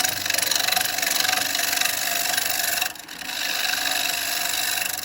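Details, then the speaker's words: Woodturning a bowl on very punky wood: a loud, rough, rattling cut with fast uneven chatter and a brief drop mid-pass. A big knot in the wood was making the noise, with the tool bouncing over it. "And I've got a big knot there. That's what was making that noise."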